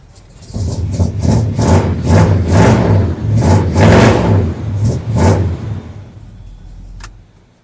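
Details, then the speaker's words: 1980 Chevy C30 square-body dually after fixing loose dangling exhaust with new donuts, roughly two-foot glass-pack mufflers: repeated revs with deep even burble, a backfire, no ticking or puffing; exhaust sealed, normal glass-pack note. "Well, that exhaust note, it ain't too bad. It's, you know, got a glass pack sound."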